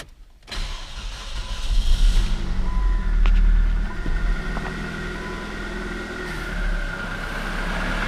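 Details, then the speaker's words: Newly bought cheap car engine at startup: catches and settles into rough idle with faint uneven ticking knock underneath, goes away after about ten minutes idling; source unclear, cause suspected, not confirmed. "sure you guys hear that noise it almost sounds like a knock but when I had this car delivered I drove it around the block make sure you know engines okay"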